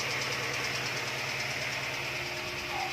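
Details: 2000 Honda Civic SiR: sharp, loosely regular tapping about twice a second over a thin engine drone; engine knocking, owner suspects the block may need replacing; cause unknown.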